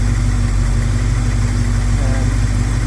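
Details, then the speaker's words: 1971 Plymouth Scamp at idle after vacuum leaks were plugged, timing unchanged: steady low idle with an even pulse of about three beats a second and no miss or stumble; normal idle. "amazing how well it runs with the no vacuum doesn't sound like she's missing sounds like gold"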